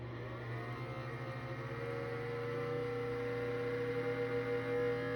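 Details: Cuisinart digital air fryer toaster oven, when cold: strong, steady low fan motor hum with a faint fluttering pulse and thin tone for about 45 seconds, quieting once warmed up; cause unknown.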